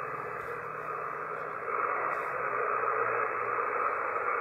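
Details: Amateur radio receiver picking up power line noise, mild level, blamed generally on loose hardware or dirty insulators on poles, worse on sunny low-humidity days: steady raspy buzz under receiver hiss, constant pitch, faint rapid pulsing; arcing interference.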